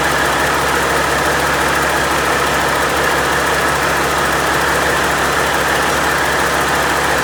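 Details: Freshly overhauled Caterpillar C-15 diesel, first start after rebuild: steady, even idle rumble with no knocks, rattles or vibration; good oil pressure, no nasty noises; normal idle.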